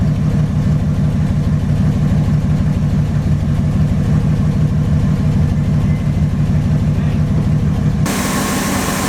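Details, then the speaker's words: 1962 Ford Thunderbird Landau V8 just after replacing the fuel pump: a smooth, even idle with a steady low rumble and no misses or knocks; a normal idle. "Good old common sense troubleshooting. She's running really nice."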